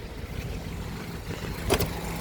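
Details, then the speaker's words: 1990 Toyota Starlet EP80 1.0 on a dewy morning, heard from outside the car: steady, even, smooth idle with no knocks or misses, engine judged still fairly smooth. "Untuk mesin ini masih cukup halus ng mesinnya masih lumayan halus nggih."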